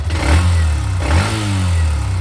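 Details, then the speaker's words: Hero Xtreme 125R at 2577 km, warm after a 25 km ride, self-started: revs up cleanly and settles back with a smooth, even note, no ticking or knocking. Normal engine rev. "एकदम first class आवाज है और मैं इसको 25 किमी चला के आ चुका हूं"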